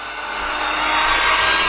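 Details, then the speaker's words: EcoFlow Delta 2 Max in X-Boost mode running a 1400 W hot plate and 1500 W heat gun at about 2400 W: hot plate switched off, heat gun fan's rushing blow and faint whine climb in RPM as the station's output voltage changes. "then you can hear that the RPM of the fan inside the heat gun increased. That's because the voltage inside of the Delta 2 Max is changing to keep power to these devices when it's in X-Boost mode."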